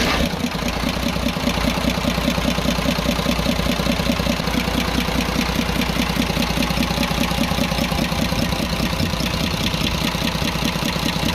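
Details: Cummins 340 24-valve heavy-duty truck diesel idling with tappet cover off, engine had been smoking and losing power: quick even ticking loudest at cylinder number one, pointing to excessive valve tappet clearance.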